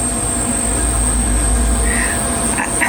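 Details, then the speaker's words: Portable air conditioner running in a van on a 460Ah lithium battery, drawing about 30 A: a steady high thin whistle over the running hum with cricket-like chirps from the noisy compressor. "It sounds like there's a blooming nest of crickets underneath it because the compressor's noisy as anything passes the thing."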